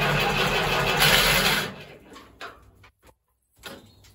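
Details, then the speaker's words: Ferguson TEF20 tractor diesel, sat over a year, fuel system bled of air, starting to smoke: loud rough cranking catches briefly then dies to near silence; hard starting from airlocked fuel system. "so let's see what happens oh Jesus Christ come on baby she nearly there"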